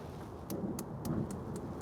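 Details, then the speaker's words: Monument Grills 35633B infrared propane grill, gas on at all burners: the igniter ticks sharply and evenly about four per second, as it should, and all burners light. "You can hear that ticking as you're supposed to, and it looks like we have flames on all of our burners."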